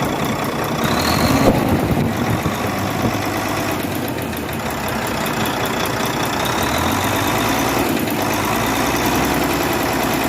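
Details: Volvo D13 truck diesel idling with a fast, light valve-train ticking over the clatter from excess valve clearance; the fix is adjusting valve clearance and injectors.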